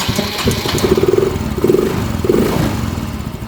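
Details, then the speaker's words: Yamaha Mio M3 125 scooter with a new spark plug, plug cap and coil: ragged running with uneven surges instead of a steady idle, then it dies while fuel pump pressure is watched. Poor idle. "nah ini enggak bisa langsam inik Dek de dek Yes mati ya"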